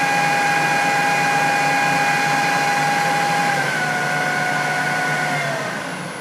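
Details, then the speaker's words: Jet-16 milling machine spindle after machining the out-of-balance pulley: even hum with clean steady whine, no thump or wobble, flat out about 1500 RPM on different belt grooves, then pitch eases down as it slows; runs smooth. "I got the motor down where it's got the most torque going to the first idler pulley so flat out she's running about, 1500 RPM it's pretty damn"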